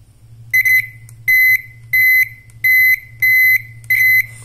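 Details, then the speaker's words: Piezo buzzer speaker, fed 12 V from an adapter on the bench, the source of modern-car turn signal sound: six crisp high beeps, a bit over one per second, clean silences; working normally. "suara flasher yang mobil-mobil sedan atau mobil mewah atau mobil muda itu dia eh kurang lebihnya gambarannya dihasilkan oleh speaker bzer seperti ini"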